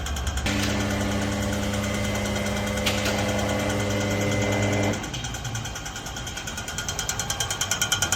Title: Knocking noise ??? 🤔🤔 #garage #repair #fail #mechanic #cars #automobile